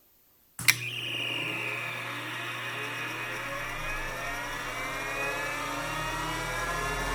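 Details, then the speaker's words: Finch disk drive on a vintage Centurion minicomputer, mic held close at power-on: click, then a smooth whir rising steadily in pitch with even hum, no gravelly humming or grinding; drive spins up normally. "that sounded brilliant that sounded perfect that sounded exactly like it's supposed to sound there was no Gravelly or gross humming or grinding going on it was just smooth and perfect sounding"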